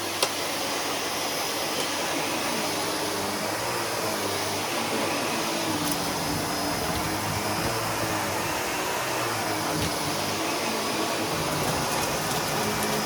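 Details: Sebo Felix upright vacuum just after fitting a new bag, clearing pet fur: an even, steady rushing whoosh with no pulsing or catching. The motor and suction sound healthy and unobstructed.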